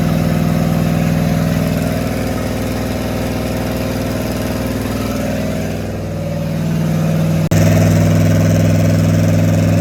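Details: Rat rod small-block Chevy 350 V8 with a new turbo cam, replacing the stock one: steady low idle with an even pulse about four a second, a short throttle blip near the end, then back to smooth idle; normal idle.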